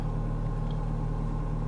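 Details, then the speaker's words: Neglected 2006 Ford Fiesta Mk6 1.25 Duratec at idle: a steady, even low rumble with no knocks, ticks or misses; the engine sounds fine, though ABS and engine management lights show faults in the ABS module and pump. "okay let's start it up and see what happens the ending sounds fine and there's not really anything wrong with it"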